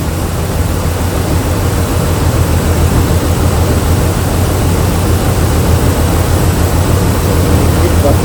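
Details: Jeep Liberty engine, slightly warm, idling with a loud low rumble and an uneven pulse of about two beats a second while the spark and coil are checked cylinder by cylinder; cylinder 5 is suspected defective. Engine misfire.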